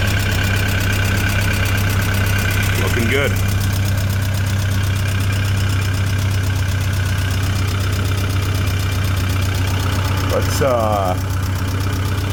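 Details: Tennant M20 sweeper with a Vortec 1600 propane engine, first start after a head gasket job and timing belt installation, with assembly lube burning off. Ran about 40 minutes with the thermostat cycling. Steady, even rumble with no knocks or misses. Normal idle.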